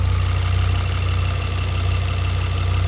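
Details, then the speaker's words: Audi RS6 V10, tuned with upgraded fuel pumps, idling and revved: steady idle with fast light ticking over deep smooth rumble, mostly injector noise; earlier top-end tapping from mid manifold area now gone. "it's mostly like injector noise before it went for a tune to fill with those upgraded fuel pumps and everything it was making a slight tapping noise especially it was like from a top end manifold somewhere in the middle"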